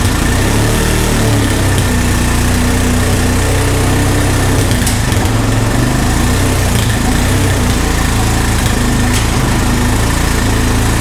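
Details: Honda ATV found at a yard sale, revived with no parts after checking spark and compression and adding fuel; owner thinks idle may be set a little low: single-cylinder at steady, even idle, low regular beat, no knocks or stumbles; healthy.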